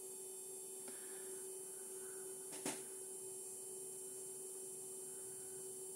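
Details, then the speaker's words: MP9486A buck regulator with added 220 µF output capacitor and 100 Ω load, unstable: thin steady whine at one pitch; coil whine caused by burst-mode switching, confirmed by probe on the switching node. "Quindi in effetti sono proprio le commutazioni a Burst che danno questo rumore"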